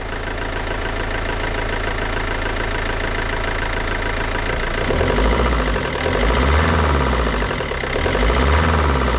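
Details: Cheap non-runner Mini Cooper D diesel just jump-started, revved briefly: heavy, regular knock roughly three or four a second hammering through the diesel clatter, climbing with engine speed; engine knock, cause not confirmed.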